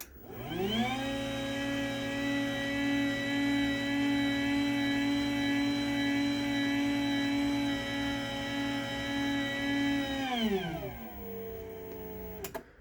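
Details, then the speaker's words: Garage door opener running, DC belt drive: about a second of climbing motor whine, then a loud steady hum with busy hiss, winding down; the two drives are equally noisy. "Now, I don't know how well the audio is on camera, but in person, they are the same noise level, which is kind of ridiculous."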